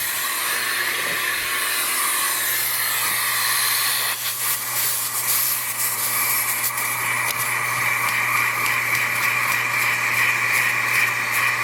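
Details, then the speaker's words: Jehmco diaphragm air pump for fishroom central air, no lines drilled yet, maximum output with air diffuser silencer removed; steady loud airy hiss over low hum, much louder than with silencer. "just to show you what kind of job it does let's remove it and hear what it sounds like I don't know if that a translate on camera but that's quite a difference"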